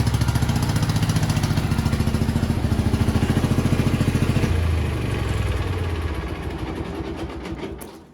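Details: 1987 Gravely Professional 18G riding mower, Kohler Magnum 18 hp, original carburetor, in garage: fast even thumping that sags and falls away at shutdown, linkage moving by itself; surging from a carburetor out of adjustment.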